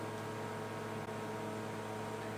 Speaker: that's my noisy fridge i don't know if you can hear that so noisy